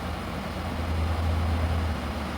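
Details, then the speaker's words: Hens portable air conditioner found discarded, after cleaning the condenser: compressor starts and runs with low, steady, smooth hum, no rattle; cooling now comes faster, dirt had restricted heat rejection. "Ahí ya arrancó el compresor, ya está trabajando el compresor muy bien."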